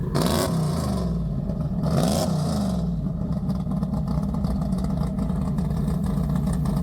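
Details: Two sharp throttle blips, then a deep, lumpy, steady idle with no knocks or rattles, from a big-block in a four-speed Polara 500; normal idle and revving.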